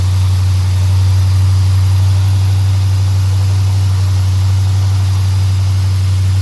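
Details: 2017 Dodge Charger R/T V8 cold start after aFe Silver Bullet intake install, listening for intake whistle; deep even idle, steady rumble about four pulses a second, no whistle; healthy.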